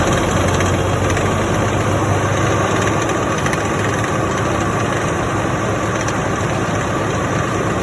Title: Damage PTO from factory 1 in million rattling not supposed to making noise factory didn’t believe